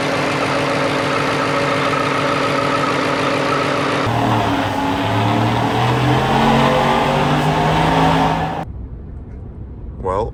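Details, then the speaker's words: 2022 Ford F-150 5.0L V8, Whipple supercharged, freshly replaced engine with long tube headers and stock cat-back exhaust: steady deep exhaust note, clean rise and fall in revs, no knock or rattle; runs and drives well, no codes. "she runs and drives good no codes"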